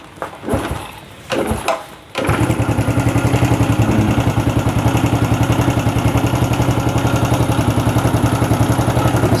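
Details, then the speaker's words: Yamaha Vega ZR that wouldn't start with weak compression from a jumped cam chain, after repair: a couple of start attempts, then a steady even idle thumping about four times a second; a little remaining noise is noted. Normal idle. "Previously I didn't know, but the important thing is that the condition of the motorbike is running and can run smoothly."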